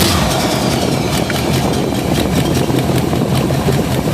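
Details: Classic V8 after a failed Hitachi alternator was replaced with a Nippondenso alternator and external Ford Motorcraft regulator, battery at 12.92 V, electric fuel pump on: quick start into a steady, even idle with no misses; alternator charging.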